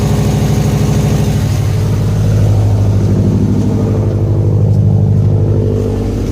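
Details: 2011 Subaru STI at cold idle: rough, pulsing puff in the exhaust note from a failed gasket between downpipe and catback, noticeable at warm idle; fixed with a new gasket and two replaced broken bolts.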